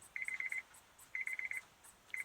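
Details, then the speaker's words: 2006 Honda Odyssey, ignition in position 2, no-start: the CD player gives high chirps in bursts of about seven quick beeps, repeating once a second, from voltage dropping out; the battery terminal had separated internally, fixed by a new battery. "CD players making funky sounds."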